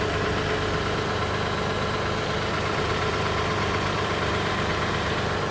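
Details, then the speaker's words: 2019 Toyota Sienna LE mobility van with 15k miles, 3.5 V6, heard with the hood open: steady, even idle with a smooth low hum, no knocks, ticks or misses; idles smoothly, no damage or leaks. "Underneath the hood has a 3.5 V6 from Toyota. It idles smoothly, no signs of any damage, no signs of any leaks, no signs of any water damage."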